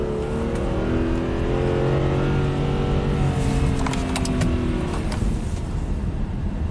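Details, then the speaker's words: 2008 Subaru Outback H6, in manual/sport mode on test drive: revs climb cleanly through gears with smooth rising note, no misses or hesitation; normal acceleration. "I was in manual mode there. Yeah, it sounds like a race car."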